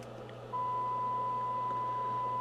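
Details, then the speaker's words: Two-stage breadboard tube amplifier with a mystery tube and small output transformer, fed a 1 kHz test signal with 4.5 kHz pilot: the steady 1 kHz tone sounds gritty and laden with harmonics; the stage is distorting. "me get loud I can hear it's a 1 kilohertz hit a signal with it's laden with harmonics it does have my 4.5 kilohertz pilot signal in there though"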